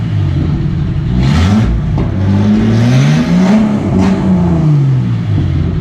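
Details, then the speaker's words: Catalytic converter cut off because its disintegrating honeycomb was blowing out, fuel injectors just replaced, now headers into a couple feet of pipe; deep, raw, booming exhaust rising and falling with throttle blips. "so right now I'm running headers to a couple feet of pipe so it's pretty loud it's pretty ridiculous"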